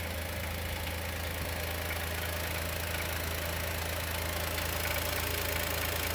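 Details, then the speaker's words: Chevrolet Onix 2020 naturally aspirated, only 4,000–4,500 km, first cold start in the morning: steady fast tick about three per second, suspected hydraulic lifter or piston pin. It is louder with the oil cap open and unchanged with the clutch pressed, so not the clutch bearing. Owner expects it to stop once warm. "Olha como o motor bate. Parece bater no tucho ou pino de pistão."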